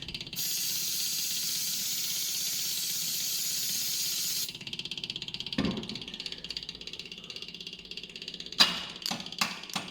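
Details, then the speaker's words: Barn-find Mazda RX7 12A rotary on a test start, fed 5 L premium with 50 ml two-stroke oil via fuel pump to a full carb: light rapid ticking then loose clunks as the starter motor cuts out intermittently and the engine won't run; carb suspected. "oh starter motor again I just had it working all right so it's gone but it's not running"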